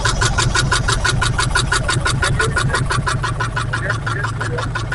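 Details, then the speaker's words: 1968 Camaro 327 V8, newly fitted Muncie 4-speed, first start after install: uneven, stumbling beat about three pulses a second with loping pulses; misfire, not the usual knock, from a distributor cap sitting cockeyed, not seated square. "It doesn't sound like the usual knock. Sounds like it's the distributor to me."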